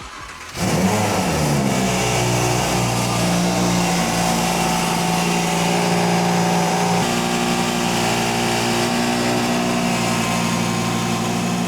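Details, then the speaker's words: 2020 Audi R8 V10 with bad rattle, engine at steady fast idle with a little revs held: loose rattle heard inside the exhaust silencer; internal silencer rattle, fixed with a new exhaust. "Sounds like it's in silence. So put your head so you can just hear it rattling around inside it."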